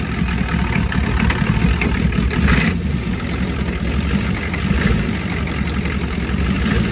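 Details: 1989 Ford F250 7.3 IDI diesel after fitting used injectors, new return lines and O-rings: steady, even clatter at idle with a low, smooth rumble, no misses or stumbles; no injector cap leaks seen.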